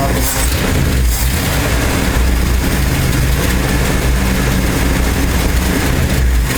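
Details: 1968 Ford F250 with a 390 FE V8 and a new Pertronix Ignitor replacing the points, warming up after a flooded rough start: a deep, loud rumble at a fairly steady idle with slight unevenness. Normal idle while warming up.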